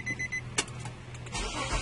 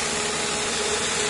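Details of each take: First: 2005 Nissan Maxima won't start: after a few chimes the starter cranks in an even rhythm but the engine never catches; crank no-start from a bad ignition coil. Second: 2005 Nissan Maxima just after fitting six new ignition coils and spark plugs, upper intake removed: steady, even idle hum with no misses; all cylinders firing cleanly.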